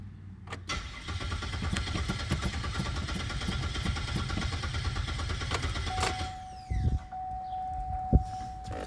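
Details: 2006 Pontiac Grand Prix with a new starter, battery at 12.3 V: the starter churns steadily for about six seconds but the engine never catches, then a chime. A crank-no-start from spark loss; replacing the failed ignition coils fixed it.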